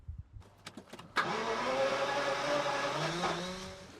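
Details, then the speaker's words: Jaguar XJS V12, laid up 11–12 years and seldom driven since: a few clicks, then the starter spins steadily with no firing; crank no start because the fuel tank was empty. "So, you saw there the car wouldn't start. And I think it's probably down to me."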